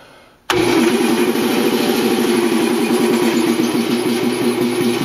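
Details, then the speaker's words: New Quincy QT-54 single-phase 220V two-stage air compressor, kicking on against tank pressure: motor slams on and labors with heavy uneven chugging instead of spinning up; struggling to start against pressure. "you didn't like that she did not like that try one more time that kind of sucks I'm not real keen on this"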